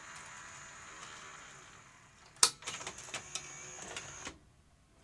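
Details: Sony UVW-1200P Betacam SP player after its cassette carriage spring was removed: a sharp click, then a short motor whir with a few light clunks as the carriage travels out and stops; eject works normally.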